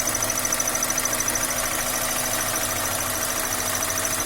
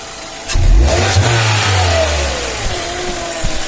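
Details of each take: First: Engine at idle, then revved, raising a thin wavering whistle that rises and falls with engine speed, coming from the clutch area near the slave cylinder and release fork. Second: 2010 Hyundai Elantra after greasing clutch area/fork to cure whistle: engine starts, revs briefly, settles to even idle with no whistle from the clutch area. Normal idle after fix.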